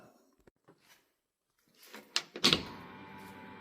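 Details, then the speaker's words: 1932 car build, before first start: clicks and clunks then a steady quiet high hum from the in-tank electric fuel pump priming, regulator set to 6 psi for the carburetor, after fixing a fuel filter leak; normal. "That noise you hear, that is my fuel pump in the tank. I've already made adjustments to the valve, which is at 6 pounds of pressure, perfect for a carburetor."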